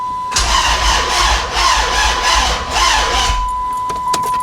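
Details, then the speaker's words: 2006 Dodge Charger that won't start, another shop quoted an engine replacement, cranked with battery on a 13.8 V power supply: starter spins fast and perfectly even with no compression beats, then stops; low charge thought unlikely. "That doesn't sound good. Now, we've got that power supply on the battery, so I don't think it's a low charge that's causing it to crank like that. I don't like that at all."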